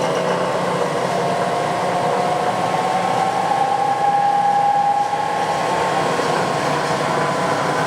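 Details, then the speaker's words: Clausing 20-inch drill press, two-speed three-phase motor in the 1.5 hp high range, spindle coming up from 750 to 2,000 rpm: steady, even whir with a faint rising tone, no knocks or rubbing; runs smooth and quiet. "750. I'll crank it all the way up to 2,000 here. So there's 2,000 RPMs. It actually runs pretty smooth and quiet."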